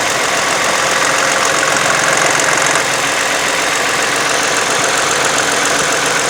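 Engine running with a loud hissy rush and a loose, uneven tick about four times a second on top; source can't be pinned down.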